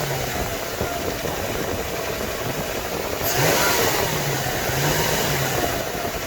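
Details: 1998 Lexus LX470 after starter replacement, repeat restart test. A short rough churn, then the engine catches about three seconds in and settles into an even idle; the new starter cranks and fires cleanly.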